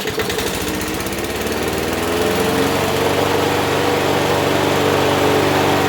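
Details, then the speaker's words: Abandoned Huskee XT650 mower that sat in a yard a year or two, started on just gas with its self choke, no starting fluid: small single fires at an even, quick beat with steady note and no misses; runs healthy. "See, it should start on just gas. No starting fluid. It's got a self choke on it."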